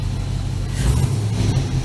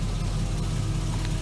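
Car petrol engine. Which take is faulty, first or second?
second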